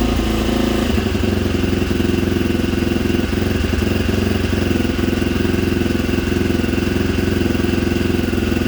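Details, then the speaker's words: 1987 Honda XL250R RFVC single-cylinder barn-find dirt bike, fresh gas after years sitting, restarted cold, maybe needing more choke: catches, then steady regular thump with light revs, no rattles, quiet while warming; normal idle. "so sounds good it's warmed up a little bit we gotta do little baby revs because it's cold sounds great engines nice and quiet she runs good"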